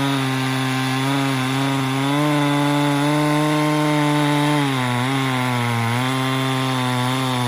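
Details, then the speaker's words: Chinese-made Husqvarna 372XP kit chainsaw with carburettor set richer just before: high steady buzz dips under cutting load and recovers cleanly, pulling evenly into the power band; owner reckons it wants to run rich. "just happened. It was like it hit power band just then. Did you hear it?"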